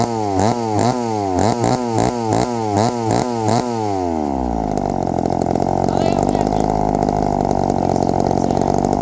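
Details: 1972 Remington two-stroke chainsaw after the idle screw was adjusted; it settles from a revving blip into a steady, even buzzing idle with no hunting or stalling. The idle is set right.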